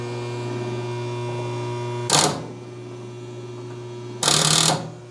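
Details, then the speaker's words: Willys CJ2A Jeep, sat about a year, first start attempt: steady electrical hum with two short rasping bursts when the key is tried, no cranking despite spark; relay clicks. "Well, I got the relay to go. I got the same effect, so I was in the right ballpark. Starter just gonk out."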